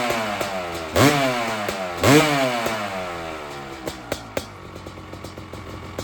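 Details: 2001 Honda CR500 two-stroke in a 2006 CRF450 aluminum frame (MRE build), cold kick-start after sitting a long time with choke on: two hard kicks catch with sharp rev bursts, then crisp irregular pops; fires up fine.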